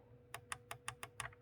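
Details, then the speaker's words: Audi D4 S8/A8 rear center console buttons after cleaning out spilled drinks and refitting springs into their grooves: six crisp, distinct clicks about a fifth of a second apart; previously mushy, now clicking properly. "as you can hear, nice and clicky. Perfect."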